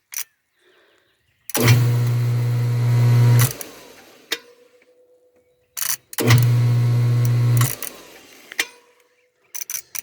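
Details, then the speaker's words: Pool pump motor powered with water added to test pumping: two short bursts of loud, steady low electric hum with clicks between; it turns but sounds unlike last year, an abnormal motor hum of unclear cause. "doesn't sound quite like i remember it sounded from last year okay we'll check back"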